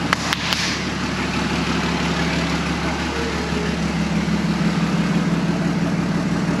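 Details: Toyota 1HD-FTE turbo diesel swap, first start: steady, even diesel clatter at idle with no knocks or misses; it starts cleanly and idles smoothly.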